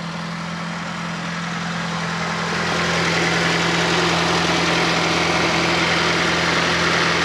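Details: Fiat Panda 4x4 Sisley fuel-injected, cold idle after start at about minus two °C; smooth low hum settling slightly as it warms, no knocks or misses; normal cold idle.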